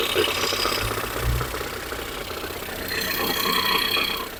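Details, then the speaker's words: Ford Fusion 2.0 engine, cold, mic at front of engine: uneven light knocking about four per second over idle, returning when accelerated; traced to broken flywheel ring gear (cremalheira), not the engine itself. "vou deixar o microfone lá vocês vão ver quando acelero ele faz e volta o barulho"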